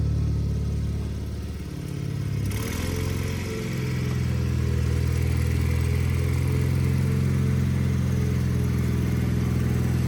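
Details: Wheel Horse 520H garden tractor with hydrostatic drive, revived and running on its own gas tank, started by jumping the solenoid on a weak battery; after a brief stumble it settles into a strong, even run during a successful test drive.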